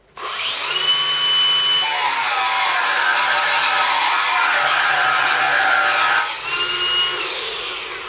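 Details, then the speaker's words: Ryobi 18V cordless angle grinder on standard battery cutting with moderate pressure: high whine sags noticeably in pitch, then climbs back as pressure eases; motor bogging, struggling under load. "Hear that struggling? That wasn't with a hell of a lot of pressure on it. That was just like, I was pushing it, but I wasn't really pushing it, if you know what I mean."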